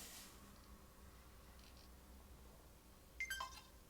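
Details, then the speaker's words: Roadside-found Xbox One, new power button strip, drive loose, fan unscrewed: near silence then one short high double beep, SSD spins but no fan, won't boot; owner suspects RAM chips or APU after odd resistance readings. "Beep on, beep off. Considering where we started and how it's looking now, I think we've made a great achievement so far. I think the problem is to do with those RAM chips or the APU"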